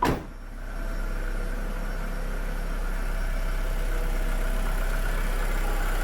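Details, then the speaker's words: 2007 VW SpaceFox 1.6 8V flex engine; brief starter crank, quick catch, then smooth even idle hum with no knocks or misses, starter sound good. "Então beleza vamos funcionar el agora ó rapaz barulhinho da tá top e o barulinho do motor de partida também"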